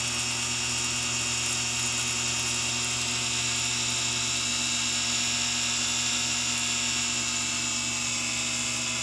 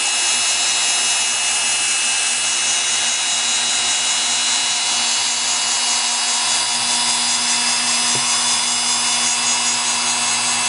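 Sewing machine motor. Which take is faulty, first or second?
first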